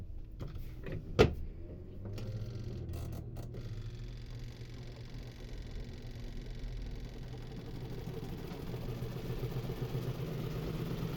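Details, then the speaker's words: Twin-tub washing machine spin dryer after retightening a loose screw on the plastic piece: brief clatter then the basket winds up to a steady even hum with no knocking or wobble; balanced, loose screw was the cause. "ya se mantuvo el equilibrio de nuestra tina de nuestra secadora ya seca bien ya no hace ese ruido en este caso solamente fue el tornillo"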